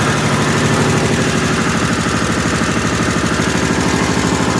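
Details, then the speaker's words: 1955 Cushman Truckster, first cold start after sitting a couple of years, warming up on choke after the fuel was pushed past air in the line; regular thumping exhaust pulses, about three per second, steady without skips, through a homemade exhaust: healthy cold idle. "Sounds as good on camera as it does in real life, but what a smooth running, quiet little engine this thing really is. I did a nice exhaust on it. Sounds pretty good actually."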